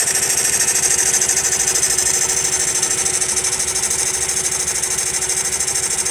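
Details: Honda Monkey idling with a fast, even metallic ticking from the engine; the abnormal noise persists even after tappet (valve clearance) adjustment, source unknown.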